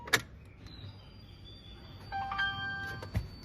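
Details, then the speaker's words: Jeep Cherokee XJ with ECU no. 200, before repair, no start: thin high fuel pump whine keeps running after key-on, check engine light not coming on; shorted ECU. "เสียงปั๊มติ๊กร้องนะครับเสียงปั๊มติ๊กร้องนะครับไฟเช็คEngineไม่ขึ้นนะครับอย่างนี้คือกล่องช็อตนะครับ"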